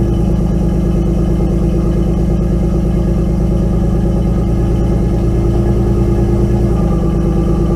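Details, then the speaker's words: Nissan 240SX S13 with an RB20DET inline six, idling after all six ignition coils were replaced and the idle tweaked: idle lopes with an uneven stumble about three times a second; still misfiring, so the new coils did not fix it and the cause is unknown. "So, yeah, it still misfires. So I'm going to have to take the cover back off and try and see what's going on with it."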